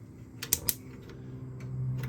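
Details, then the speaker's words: Appliance in a 2021 Jayco Journey 22.68 caravan being switched across to gas. Sharp dry clicks a fraction of a second apart as it tries to start, then a soft steady rush as it lights. The igniter is sparking normally. "You should hear a tick, tick, tick. And that's it trying to start."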